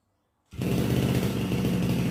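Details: RBC411 two-stroke brush cutter, after straightening the blade tip bent by hitting a stone that caused shaking: steady even buzz with a rough low drone, no knocking or rattle; normal running.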